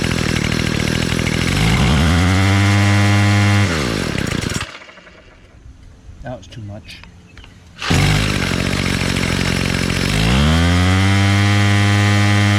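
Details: Bolens MTD BL-160 25cc trimmer after carburetor clean and low mixture screw reset, choke off: steady buzzing idle rises smoothly to even full-throttle scream, cuts back and revs cleanly again; healthy at idle and full throttle.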